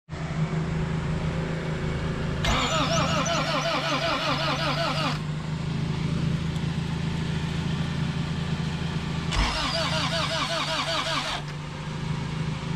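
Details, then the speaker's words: Honda CRX with a B18 engine, sitting about two years, cranked on sprayed starting fluid. Loud, sharp pops burst over the cranking chatter; a backfire of the starting fluid coming back out the intake. "oh it almost started hold on let me spray some more starter fluid in there that was a backfire from the starting fluid just coming back out the intake"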